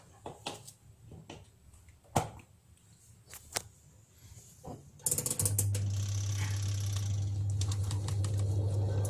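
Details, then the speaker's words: Twin-tub washing machine spin dryer after the shaft bolts joining the spin shaft to the tub were tightened to cure its squeak: a few handling clicks, then an even low hum with no squeak; fixed and healthy. "Oke, ini sudah tidak berbunyi lagi."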